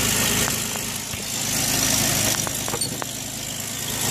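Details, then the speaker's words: Chevrolet Equinox after repair of both blown head gaskets, with new exhaust studs, radiator, coolant and water pump, settles into an even idle with no knock or miss, just a light hiss over the steady hum. It sounds healthy. "runs like brand new wish I could find the cover for this and for this that runs pretty good though"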